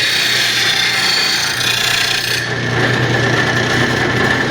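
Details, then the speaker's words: Rotary mower blade on a bench-top stone blade grinder, with the wheel pulling the blade in: raspy grinding goes heavy, then suddenly lighter as the blade angle shifts. The grind is uneven across the edge. "still grinding with the wheel like this it's still trying to pull it in which is kind of making it hard to get it even grind across here it's wanting to pull in right here"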